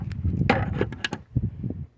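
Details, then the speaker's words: Fuel door lock actuator after replacement: short, clean clicks and clunks as it locks and unlocks, no longer the earlier grinding noise. Normal operation. "See, that's different from that grinding noise. See that? It's locked, open, lock, open, lock."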